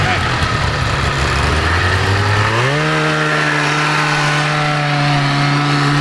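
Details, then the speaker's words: Kawasaki 440cc two-stroke snowmobile-engined go kart at wide-open throttle: engine wails up and holds a high steady pitch without accelerating, CVT belt slipping; top speed reached 42.6 mph. "So you hear the RPMs, Oh yeah, it's loud. but it's not doing anything."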